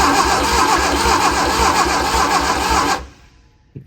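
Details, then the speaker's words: Barn-find Austin-Healey Sprite, coil reconnected to power after confirming spark at distributor, cranked to check plug spark: even cranking, about four compression pulses a second for three seconds, turns over freely without firing; normal cranking. "Crank it over again. We'll see if we have any spark up at the spark plugs now."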